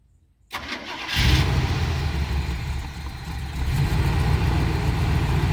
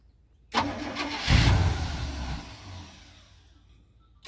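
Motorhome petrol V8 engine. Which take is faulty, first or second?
first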